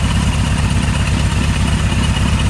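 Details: 1978 Kawasaki KZ1000 LTD with new rings breaking in, run on reserve during a driveway test: a smooth, even four-cylinder burble at steady idle with no knocks, misses or rattles, a normal idle.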